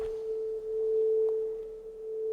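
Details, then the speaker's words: Soundtracs JADE 32 inline analog mixing console, about 30 years old: the pan pot is swept from left to right. The test tone shifts smoothly and cleanly, with no crackle, scratch or dropouts, so the pan control is healthy. "just making pan from left to right this one seems fine to me"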